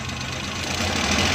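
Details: 2017 Suzuki Bolan Euro at light revs sounds rough and choppy and won't build cleanly; misfire from a dead number one spark plug, and the car won't pick up or rev.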